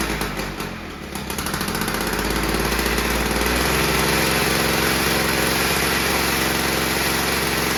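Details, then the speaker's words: VICTA Tilt-A-Cut lawn edge trimmer, two-stroke engine, after a few pulls with fuel primed and set to mid position: catches after a couple of seconds then runs steady and clean; fault was a disconnected fuel line. "So there you go, folks. What a beauty. You know, it took a few pulls, but she started up and ran."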